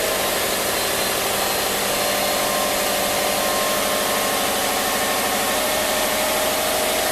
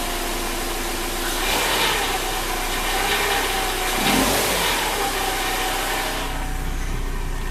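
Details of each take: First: 2005 Subaru Outback XT with swapped JDM EJ20X turbo boxer on factory ECU and sensors: starts up normally to a steady, even idle with no knocks, ticks or misses; owner notes a bottom-cam rattle only when cold and put in gear. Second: 2005 Subaru Outback XT with JDM EJ20X swap, factory ECU: at cold idle in gear, light irregular metallic rattle, suspected bottom cam; disappears with throttle and once warmed up with oil pressure.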